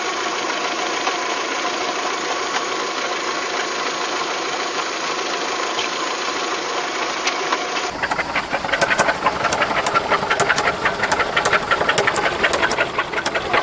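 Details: VW Golf 3 engine at idle with an uneven metallic tapping that grows sharper in the second half. It is an abnormal knock of unknown origin, in a clip tied to fitting cylinder-head parts.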